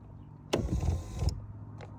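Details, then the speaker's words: 2009 Toyota Venza AWD driver's power seat moving forward (backward is quiet): low motor whir with sharp clunk at start and jolt later as the motor jumps; loose motor mounting Allen screws, fix by tightening them. "all you got to do is tighten down those two Allen wrench screws and that'll take care of the problem"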